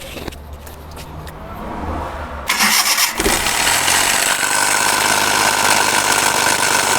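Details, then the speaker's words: 2018–19 Suzuki Ravi engine, before repair: cranks and catches, then idles with a loud rough whirring and steady high whine from the timing belt area; worn timing belt tensioner bearing. "इसमें आवाज़ timing bearing की कैसे आवाज़ आ रही थी।"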